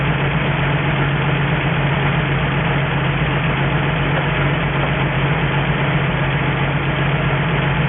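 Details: 1963 Ford F350 truck, first start in about 20 years, running off an auxiliary nurse tank with a cherry bomb muffler: steady, even low idle with a smooth unchanging beat, no knocks or misses; normal healthy idle, coolant needs topping up.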